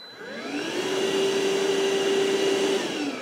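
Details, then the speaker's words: Ryobi ONE+ 18V cordless 1-gallon wet/dry shop vacuum switched on for water-lift test: motor spins up to a steady high whir with constant airflow rush, quieter than a typical shop vac. Normal running. "and guys you can hear that it sounds it's quieter than your normal shot back but it's it's not a quiet machine it's it's a powerful little unit"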